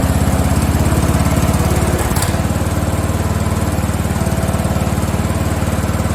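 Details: Free Craftsman riding mower (lawn tractor 917.273760), after tightening a loose pulley bolt: low thumping about four beats a second, uneven with a stumble midway, rough running and surging; owner suspects it isn't getting enough fuel.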